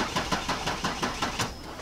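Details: 2001 Ford Escape that has gone through seven dead fuel pumps: the starter cranks briskly, about six pulses a second, but the engine never catches. Voltage at the pump falls to about 6-7 V while cranking, and high resistance was found in the PCM ground (terminal 85) to the fuel pump relay.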